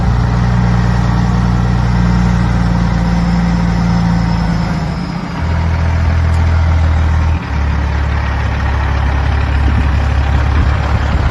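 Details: 2004 Kenworth W900L project truck with CAT C-15 diesel, just started before being brought into the shop: deep, steady diesel idle with even low rumble, no knocks or misses; healthy normal idle.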